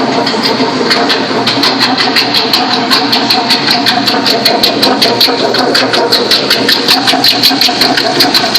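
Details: Toyota Sequoia 4.7 V8 running: sharp, regular ticking about three times a second over a high whirring hiss at the front, from the idler pulley "fan bracket", not the timing-belt-driven water pump.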